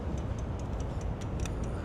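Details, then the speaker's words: 2006 Dodge Ram 3500 with 5.9, key on, engine off: quick steady ticking about five per second as the relay chatters; a loose fuse box connection is making the relay click. "When I do, it's just ticking. The relay's clicking."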